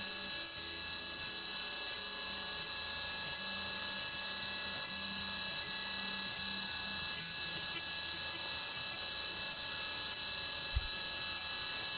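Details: CNC 3D contour milling of the side of an AR15 high-rail gas block on the back side of the part, where no material is gouged; steady high spindle whine with an even cut, no rattle or squeal; clean chatter-free cutting.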